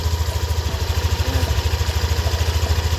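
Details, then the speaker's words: Yamaha Aerox V2 scooter engine idling after maintenance, radiator cover still off, no parts replaced: even low idle thump, smooth and steady with no ticking or rattle; normal engine sound after the owner's rattle complaint was addressed. "So kung rinig niyo yan na yung normal na normal na tunog ng makina."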